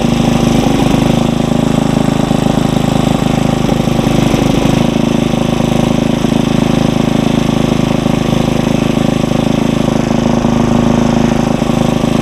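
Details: Briggs & Stratton 900 series tiller engine at raised speed while warming, no load: steady, even fast-idle drone with no misses or knocks; normal running.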